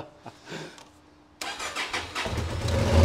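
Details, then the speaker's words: 2023 Honda Transalp 750 (XL750), battery rewired, reading 12.49 volts: brief crank, then it fires cleanly and settles into a smooth, steady idle; normal start after earlier non-start. "Well, oh, of course it will start. Sure it will. That sounds a lot better."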